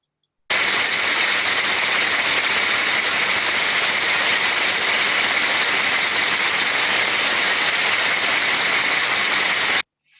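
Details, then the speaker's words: Gearbox recorded by ultrasound after cleaning out incorrect oil and refilling with the correct oil type: smooth, uniform hiss with only faint modulation and no clicks or grinding; correct lubrication restored normal running. "we can now see that we have a much much more improved sound quality it is more smooth and uniform with very slight modulation sounds to me this highlights the importance of having the correct lubrication within your assets"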